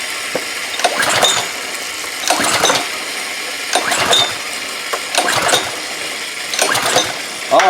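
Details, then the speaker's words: Old, long-sitting pressure washer with some carburetor corrosion, fuel squirted down the carburetor: five pulls of the ratcheting starter whirr with no firing. He says he squirted in too much gas and flooded it, so it wouldn't start; plug soaking wet, strong spark. "well truth of the matter is I sared enough gas in it to probably I flooded it you know that's what really that's what happened that's what killed it so that's why I wouldn't start the first couple times I pulled it"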